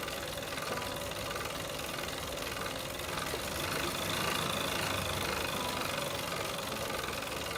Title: Tacx Flux Grinding Noise 2